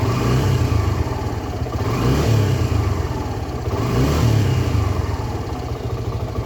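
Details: Suzuki Gixxer SF 250 after an engine oil flush and new oil and filter: clean throttle blips rising and falling, no knock or rattle under the exhaust note; revs smoothly, healthy.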